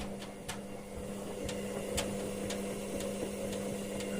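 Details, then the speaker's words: Ariston washing machine running a 90° drum-cleaning wash; light sharp clicks about twice a second over low motor hum as drum tumbles, from a dead shock absorber with play in its bushing, to be replaced later. "petit clic clic clic clic vous entendez c'est l'amortisseur là-bas qui est mort qui a du jeu en fait"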